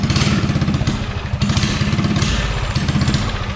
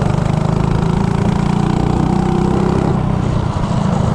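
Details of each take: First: Coleman CC100x minibike with a 197 cc LCT snowblower engine, Nibbi 24 mm carburetor, header pipe and 18 lb valve springs, under throttle in a 0–30 test: the engine pulls but stumbles briefly, running lean; plan to raise the carb needle. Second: 197 cc LCT snowblower engine on a Coleman CC100X minibike with Nibbi 24mm carburetor, header pipe, 18 lb valve springs, rejetted to 120 main / 38 pilot to cure a lean hesitation; revs cleanly without stumble, then settles to an even putter; normal running.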